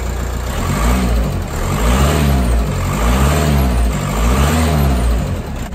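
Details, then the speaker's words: Audi A4 Cabriolet 2.0 TDI (BPW) diesel after rocker cover removal and injector rocker oil leak/lead plug repair: engine revs up and down smoothly in repeated blips, hydraulic lifter tapping now gone, normal running. "now here it just sounds a lot more different tapping noise of hydrology lifter is actually gone"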